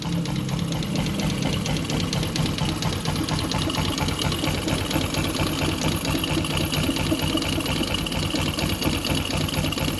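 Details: Jupiter MX motorcycle, recently bought, radiator coolant mixed into oil (greyish oil), suspected water pump seal: small engine idling with fast uneven knock about twice a second; source unclear.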